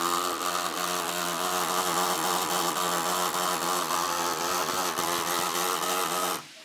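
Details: MSI GP66 Leopard laptop (RTX 3070) right fan: high-pitched grinding whir with rough fluttering edge, steady until abrupt cutoff; fan jams, loud after weeks of use; owner suspects faulty fan or loose weak blades.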